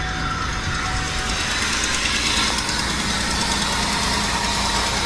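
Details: 2002 Buick LeSabre 3.8L, towed in with a crank no start and a dead battery, suspected bad fuel pump: steady, even idle with no misses, knocks or stumbles once the pump runs after being banged on (about 16 gallons per hour flow); the pump likely has a bad spot.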